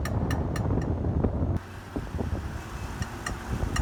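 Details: 2005 Volvo XC90 while driving: crisp metallic pinging clicks at uneven spacing under road and wind noise, diagnosed as the driveshaft (prop shaft) rather than CV joints or suspension, then repaired.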